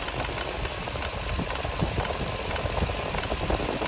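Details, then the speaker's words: Lexus LX470 V8 with misfires and rough idle, no check engine light or codes: uneven stuttering idle broken by sharp clicks from the idle air control solenoid, each bringing a brief dip; misfire, cause unconfirmed, ignition coil later believed. "there's this weird idle right now and this thing seems to be clicking an awfully lot so I don't know if this is the uh this is the cul or not"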